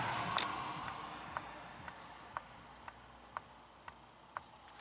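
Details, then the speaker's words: 2019 VW Jetta with a no-power complaint and code P0011: the intake cam timing solenoid, commanded on during an actuator test, gives crisp light clicks about twice a second and is switching properly. Normal camshaft timing solenoid operation. "I can hear that one working also"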